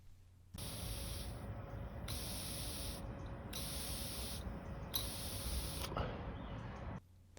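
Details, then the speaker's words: Carburetor float check made by blowing through fuel line at the top of the carburetor: air hisses in short bursts and cuts off cleanly each time the float is pushed up, so the needle and seat seal properly and the float works. "so as you guys could hear this floats working how it should you want it so that when the float rises all the way up um no fuel should be coming into the bowl"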